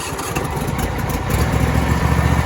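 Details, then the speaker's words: John Deere Z525E zero-turn riding mower, cold start with the brake on and the spring-loaded choke held while cranking: engine catches and settles into a steady, slightly rising idle with even firing; normal start. "You have to hold this choke on position while you're cranking the machine over."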